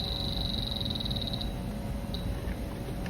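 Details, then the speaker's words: DTEK Stratus handheld battery-powered refrigerant leak detector on manual setting, held to a calibration reference bottle: rapid high chirps, about fourteen a second, for about a second and a half, then one lone chirp; the detector responds properly. "There's a calibration reference bottle here that we could test it. This one's working."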